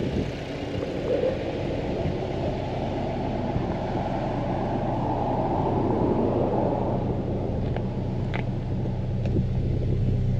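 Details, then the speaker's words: 2025 Toyota 4Runner TRD Pro four-cylinder engine, recorded at the tailpipe: low, even rumbly exhaust note at steady idle with no knocks or ticks; healthy exhaust note. "your sound here. Kind of a rumbly fourcylinder noise."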